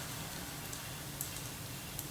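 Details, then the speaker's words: 1970s ARCO 3533 mini bike, hand-spun wheel: steady gritty hiss with scattered light ticks, like debris bouncing inside; beach sediment suspected in the bearings and wheel. "this thing's been to the beach there's just sediment all up in those bearings and in the wheel actually i can hear it bouncing around inside the wheel"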